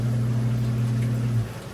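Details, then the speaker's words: Newly replaced basement sewer ejector pump pumping to septic tank: steady low hum ending with dull check valve thunk; normal pump cycle with check valve thunk. "And here, you hear the thunk. There's the thunk. Because the water has to go all the way into my pipe and out to my septic tank."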